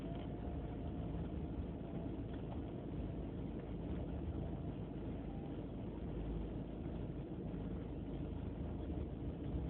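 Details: BMW E36 318ti petrol engine idling with a low, uneven, lumpy note; a replaced idle control valve helped only slightly, cause unknown: rough idle.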